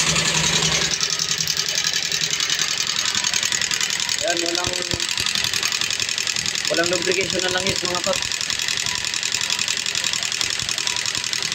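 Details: Yamaha Sniper 135 after top overhaul for coolant damage and wrong timing, fresh oil change: fast uneven metallic clatter while running; no oil reaching rockers, oil holes dry, oil pump and passages to be checked; valvetrain clatter from oil starvation.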